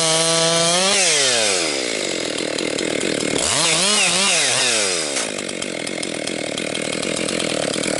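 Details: Rebuilt Husqvarna 262XP chainsaw during break-in, compression come up, bucking dry, dusty pine with rotten and hard spots; crisp high scream dips under load in the cut and snaps straight back up; normal healthy running under cutting load.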